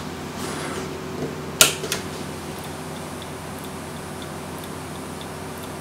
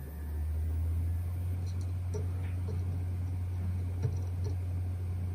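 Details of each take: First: USB external hard drive enclosure, known-good 1 TB drive fitted: faint light click repeating about once a second after power-on over room hum; enclosure electronics or power supply at fault, not the drive, later found to be a faulty power supply. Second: Hard drive from a USB enclosure, removed and powered in an external USB dock: spindle accelerates properly with steady hum and a few light head ticks during self-test; drive appears healthy, fault traced to the enclosure's power supply.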